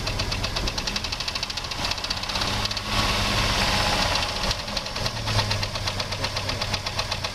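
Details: 2001 Jeep Grand Cherokee 4.0 straight-six petrol idling: steady sharp knock about four times a second over low hum, appeared suddenly on restart; loudest at exhaust manifold joint, valves and belt-driven parts ruled out, cause unknown; wind on mic.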